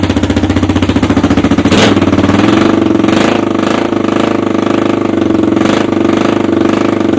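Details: 1986 Honda Foreman 350 ATV after carb cleaning, starts easy, given a little tickle with a screwdriver; steady even single-cylinder thump at idle with no misses or stumbles, running clean, normal idle.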